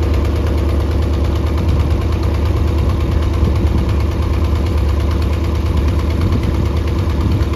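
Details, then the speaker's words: Mercury 90 hp outboard on a Shetland 535, run on the flush out of the water: rough, uneven low beat with about two stumbles a second; bottom cylinder dead, spark plugs swapped to test. "you know it is not running on the bottom so I switched the spark plugs around just to see if that is it"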